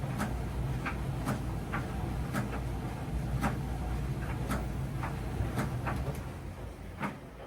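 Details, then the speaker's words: Miele T8003 tumble dryer running with a low rumble and a sharp thump about once a second, which the customer calls screeching or thumping. Cause is worn motor carbon brushes, part 4490382 or 5153702. "When this happens, usually the problem is the carbon brush, and I'm gonna show you how the part looks."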